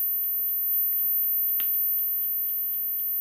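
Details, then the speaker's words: Homemade Geiger counter with STS-5 tube (~400 V): a sharp click or two over faint electronic hum, normal natural background radiation. "all right so as you can see I have it all set up now and everything plugged in now as you can hear you can hear natural background radiation"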